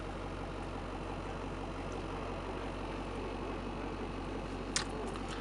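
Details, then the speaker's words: 1984 BlueBird Wanderlodge diesel engine idling, 75 psi oil pressure when cold: low even rumble with steady beat, no knocks or misses; owner says it fires right up, burns no oil, runs smooth; normal idle. "So that's the engine. Idling, smooth, running. It is really an awesome motor."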